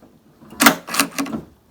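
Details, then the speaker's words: Jeep Liberty Renegade rear tailgate glass latch after repair (Mopar 5143017AA wiring jumper, metal clip over micro switch): handle pull gives three quick crisp clacks in about a second, then quiet; latch releasing cleanly, normal. "when you pull on the handle and it activates the latch so everything is working as it should one more time"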